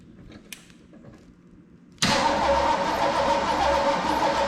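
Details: Old car rescued from the crusher, after sanding the ignition points, which now spark better: even, steady starter cranking for a few seconds without firing; spark present but carburettor dry, no fuel.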